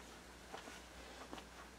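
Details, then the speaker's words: Amplifier with turntable connected produces a steady low mains-like hum and buzz with faint clicks at about half volume, annoying during quiet passages and low-volume listening; speaker hum/buzz, source being troubleshot. "That buzzing is pretty good. And it's annoying, especially if you have quiet passages of music, or you want to listen at low volumes, which sometimes I do."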